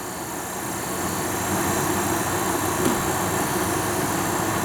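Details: Antique heater blower motor for a 1929 Chrysler, seized before being freed with a drilled bearing hole and WD-40: steady, even whir that holds speed without sagging or surging; it now spins freely and runs healthy with little noise.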